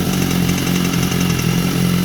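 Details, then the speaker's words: 2014 BMW S1000RR with 17,000 km; at idle, a light fast metallic rattle that sounds like the engine comes from the loose exhaust valve, confirmed by blocking the exhaust. Fixed by locking the valve. "Olha o barulho no motor. Soltei. Ó. Bate como se fosse o motor,"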